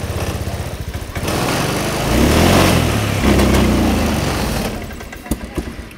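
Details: Motorcycle showing no MIL blink code that still stumbles after injection parts were replaced: it cranks and catches, then runs with an uneven, stumbling beat as it revs and settles. Engine misfire, cause unresolved.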